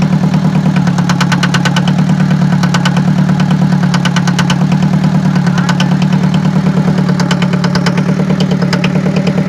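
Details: Forklift diesel engine idling during workshop inspection: steady low drone with a roughly regular clatter about three times a second on top; abnormal engine noise, cause unknown.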